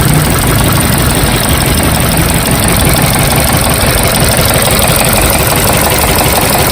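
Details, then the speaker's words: Toyota Corolla 1ZZ engine with code P0012, camshaft position timing over-retarded bank 1: continuous uneven rattle over a rough idle, about three a second, engine not smooth; suspected over-retarded cam timing, diagnosis with scanner pending. "This is Toyota Corolla 1ZZ normal engine as usual, and you can see engine is rattling continuously, that making it doesn't not look smooth at all."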